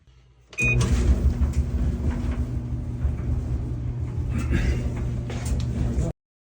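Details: Clothes dryer started after its vent was cleaned out and the sagging duct reconnected and taped: settles into a steady low drum rumble with even airflow hiss, no scraping or rattling; running normally.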